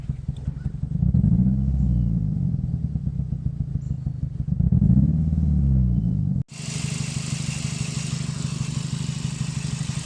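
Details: 2005 Scion xB petrol four-cylinder, 135,000 miles, randomly began running like a two-stroke: uneven, lumpy misfiring idle from a failing ignition coil pack; swapping the bad coil to another cylinder confirmed it, new coil pack fixed it.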